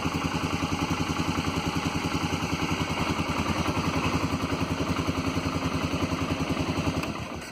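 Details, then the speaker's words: Polaris engine just after idle air control motor pigtail connector replacement: steady, even idle with regular firing pulses around three or four per second, no misses or hunting; idling nicely after repair. "So let's start it up and see what happens. Alright, seems to be idling nice."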